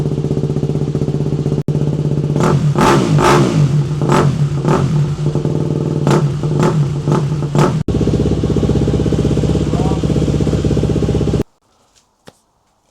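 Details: KTM two-stroke enduro bike, previously unstarted for about a year, after carb cleaning, air filter sorting and throttle cable adjustment at the carb. Short throttle blips over a steady idle pick up crisply and settle back; throttle crisp, running healthy.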